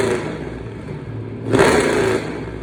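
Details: 2009 Dodge Challenger R/T 5.7 Hemi, first run after engine-fire rebuild with salvage parts and rewiring: loud, deep steady V8 rumble, throttle blip rises and settles cleanly, no misses or clatter; normal running.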